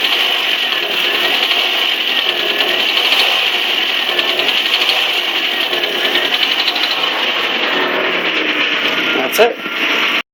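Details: 1997 Saturn SL2 petrol engine revved lightly: fast, light ticking over a thin running sound, from the passenger side only under acceleration, most noticeable at 2-3k rpm, slowly worsening; MPG and power seem normal; cause unknown.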